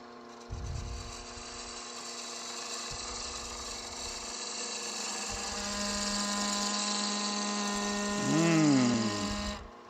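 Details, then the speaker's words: Turning a French rolling pin on the lathe with skew and spindle gouge: steady high singing tone that swells and wavers, harmonic vibration of the thin work; spindle chatter. "you all know that sound don't you that the vibration there harmonic thing you can quickly Quil that by just putting a hand on it"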